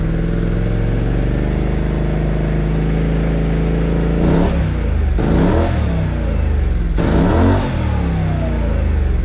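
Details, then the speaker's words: Kymco CV3 scooter with a replacement silencer, on a table in a closed garage with transmission resonance: smooth idle and three clean throttle blips rising and falling without rattles or misses. Stays under 90 dB; normal revving. "bon ben voilà je sais pas ce que vous en pensez mais moi j'aime bien en terme de décibel on reste correct on a pas dépassé les 90 dcibel"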